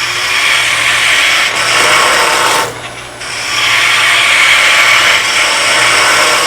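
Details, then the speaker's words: Wood lathe turning maple, skew chisel planing cut: steady even hiss of shavings over low lathe hum, no chatter or catches, smooth steady cut leaving a clean surface. "smooth and steady and the effect is this is uh maple and that surface is really nice down here"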